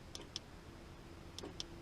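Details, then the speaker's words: VoSwitch JL100 switch panel fitted to a Jeep JK, key in accessory, heard through the rolled-down window. Crisp paired clicks about a fifth of a second apart with each switch press: the relays are switching normally. "So now what I should hear is the click of the relay as I click through each of these."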